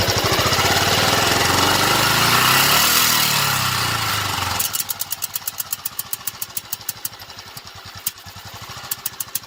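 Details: 2000 Royal Enfield 500cc Bullet, warm after 8-10 minutes of riding: at low revs a misfire-like, tinny noise, sharp irregular pops between beats as it revs and drops to a slow idle; cause unknown.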